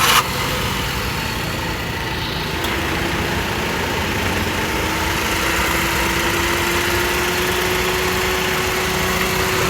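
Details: Maruti Wagon R at idle after replacing a cracked, years-old belt that had caused squealing: even, steady idle with faint constant tone, no chirp or squeal; belt drive healthy.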